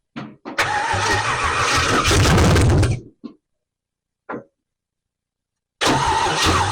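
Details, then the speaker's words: 1968 Camaro, 327 V8 rebuilt then sat 15+ years, Powerglide, first start after starter work: cranks briefly, catches and runs with steady rumble, cuts, fires again and settles; it runs. "go ahead oil I forgot about the oil pressure gauge in the back it's a runner"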